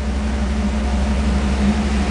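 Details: 1994 Pontiac Trans Am GT Convertible, first start after a major overhaul (transmission, radiator, rewiring, brakes, fluid flushes); owner suspects the battery is not recharging. Steady, even low idle hum with no misses, knocks or surging; healthy idle.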